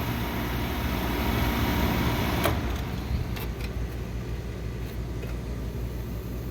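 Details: Old neglected Carrier R22 split system, compressor replaced before, aftermarket crankcase heater and plug, contactor pushed in by hand: steady low hum, even fan rush, light clicks, no rattle; runs normally with temp difference, maybe just the old mercury-bulb thermostat.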